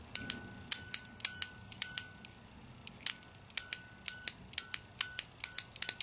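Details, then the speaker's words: Chevy pickup TBI fuel injector on the bench during rebuild, tested by touching a 9-volt battery: sharp crisp click each time power is applied, quiet room. Injector working properly. "When you hear that click, at least you know it's working right."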